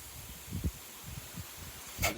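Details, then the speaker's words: Hydropool 695 hot tub during its self-cleaning start-up, before power is switched on: the filter's bleed screw is loosened and trapped air escapes with a steady soft hiss and a few handling clunks as the filter purges normally. "You can really hear that air pushing out."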